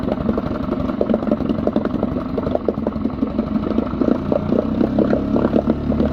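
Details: Mercury 3.5 two-stroke outboard test run after temporary plastic propeller repair with homemade shear pin: steady, busy, even clatter with no misses or knocks; running normally.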